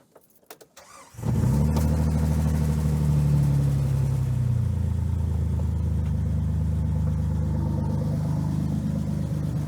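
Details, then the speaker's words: Jeep TJ started after 15 years sitting, with new alternator and serpentine belt: catches after brief crank and settles into a steady, even idle with deep rumble; engine sounds good, charging 14.25 V, only the muffler sounds bad. "Yeah, that's figuring out fuel ratios there. Looking pretty good. Sounding pretty good, too. Well, the muffler obviously doesn't sound good, but the engine itself sounds good."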